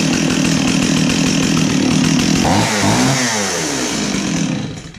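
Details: Stihl chainsaw after its pull-start repair: the recoil spring was overwound and a wrap was taken off. It fires up and revs strong and even with a clean buzzing note, then settles and winds down. Running healthy.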